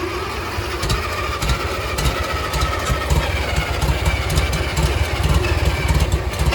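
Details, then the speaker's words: Farmall Cub 140 four-cylinder tractor, sat five years, after tune-up; carburetor leaks and it seems to run rich: settles into a steady, even hum at low revs with no misses or knocks, good oil pressure; running properly. "nasty's running he got pretty good oil pressure that that's pretty awesome dude let's see if we can idle her down"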